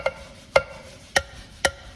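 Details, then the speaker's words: 1949 Chevy Fleetline engine that had been seized, head off: four sharp ringing hammer taps dropped on an intake valve die instantly with no rebound, showing a stuck intake valve. "how do you tell very easy you just drop the hammer on the valve and see how it bounces back on its own watch when it's on a stuck valve it just kind of sits there see the you can even hear the"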